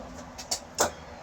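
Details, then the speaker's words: Kenmore 110.20022013 top-load washer made by Whirlpool, in test mode after lid lock problem: two sharp clicks as the shifter moves cleanly from agitate to spin, then it spins, a good sign. "it so it's shifting from agitate into the spin mode down underneath and there's the spin so it's spinning good sign"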